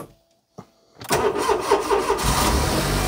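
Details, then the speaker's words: Smart Fortwo 450 Cabriolet with a new battery, following a seized-alternator problem: after a brief quiet and a short crank the engine catches at once and settles into an even, steady run, starting much happier. Normal start. "that's starting much happier isn't it"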